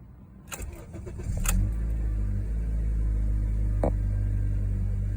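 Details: 2012 Honda Accord, 4-cylinder automatic, cold start: the starter cranks briefly, then the engine catches and settles to a steady, even idle with none of the usual grinding noise.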